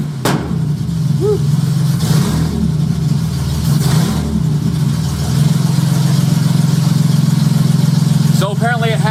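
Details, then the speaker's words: J35 engine swapped into a Subaru Baja at start-up, AEM Infinity ECU untuned; blips rise and chop off sharply at the 2000 rpm rev limiter each time, an ignition cut. Lambda about 0.9, slightly rich. "a rev limiter set to 2000 because rpm i step on the gas it goes up to 2000 and then the ignition cuts out"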